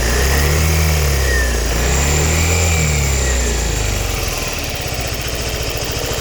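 Light, rapid ticking rides over the scooter engine through a rev and stays clear as it settles to idle; source undetermined.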